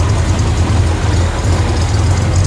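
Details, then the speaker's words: Corvair Monza Spyder turbo flat-six, 145 cubic inches, converted to a single Toyota-kit carburetor with electric choke and electronic ignition, separate dual exhaust: a steady, deep, loping idle with an even pulse and no knocks or misses; normal idle. "It's got a really nice sound. It just idle smooth first."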